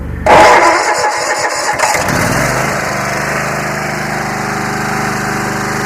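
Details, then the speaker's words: Free Yard Machines 20 hp riding mower, 42-inch deck, starter wouldn't engage from key (possible mouse damage). Brisk starter whir, fires immediately, settles into steady even idle; healthy start. "I'm going to pull on the cable and I'm going to see if the starter turns well that's a good"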